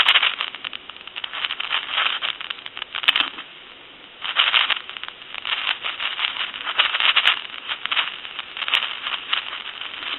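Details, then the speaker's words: Touch-tone brass Majesty telephone under repair, dial tone with handset shaken: harsh crackling static surging in bursts from the noisy carbon T1 transmitter, to be replaced with a better microphone — carbon transmitter static. "give you some D tone hear that static when you shake it"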